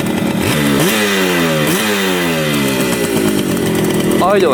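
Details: 1975 Yamaha RD200 two-stroke twin, first start after 20+ years in a barn: crisp, ringing revs climbing and falling cleanly on the throttle, both cylinders firing and hot; running healthy.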